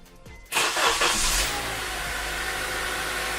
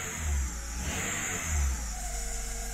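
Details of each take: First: After replacing a drive belt whose backside had worn smooth: engine fires and settles into a steady even run, idle comes back down, far quieter with no belt screech or chirp. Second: Petrol engine running: thin, steady high-pitched screech over the low engine rumble from the drive belt, which is to be replaced.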